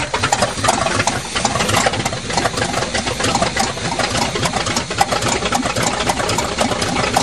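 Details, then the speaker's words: 1977 GMC truck with 400 V8, cold-weather start after adjusting the choke pull-off rod and filling the carb bowls: a busy, slightly uneven idle with top-end ticking, running fine while warming up. Normal cold idle. "now we'll let her warm up and see if she'll go for a ride sounds like a walk"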